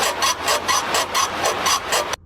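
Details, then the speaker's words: Rhythmic rubbery creak-squeak about four times a second from a worn car sway bar bushing. "Buje de la barra estabilizador."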